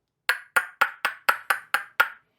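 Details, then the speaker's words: Copper pipe being formed into a bowl (ring dish) with a nylon hammer on a swage block. Eight sharp blows about four a second, each with a bright lingering ring; the copper has work-hardened and needs annealing to avoid cracking. "Sounds like it's pretty hard."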